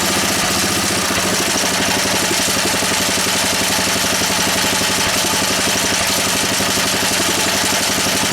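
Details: Honda E300 generator whose carburetor needs work: it runs at a steady speed with a constant buzzy rattle as its casing shakes against a fence; rattle against fence.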